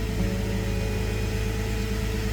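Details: Jeep WJ restarted after new oil switch and ASD/TCM relay swap, engine light on, warming 15–20 minutes before oil change: steady even low idle drone with no knock or tick; running normally.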